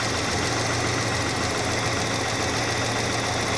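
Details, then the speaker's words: 1988 Saab 900 Turbo, running after months of failing to start and many repairs, slight smoke from long disuse: a smooth, even idle with a steady low hum and no misses or knocks. Normal idle. "Look at this car idle. Holy crap. I'm back in love with it again."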